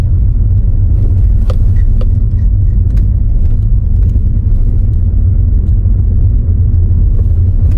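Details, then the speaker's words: Toyota Auris on its first test drive after fitting a second-hand gearbox and changing the gear oil: steady, smooth low road rumble with no scraping or grinding; the gearbox is now quiet. "yeah it's no scraping anymore"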